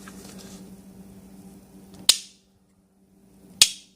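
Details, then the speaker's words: Mercedes C320 HVAC flap actuator motor: faint motor hum, then two sharp snapping clicks about 1.5 s apart when driven in one direction only, quiet the other way; owner unsure if normal, suspects gear or flap. "like something's wrong. The gear just fine that way. But this way, they don't. Is that normal? For it to sound like that?"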